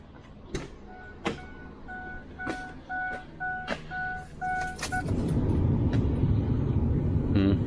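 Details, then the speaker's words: Ford F350 pickup with a leaking high-pressure oil reservoir gasket: a few chimes and clicks, then the engine catches quickly and settles into a steady, even idle; normal start and idle. "i mean it runs great it sounds awesome the truck runs awesome"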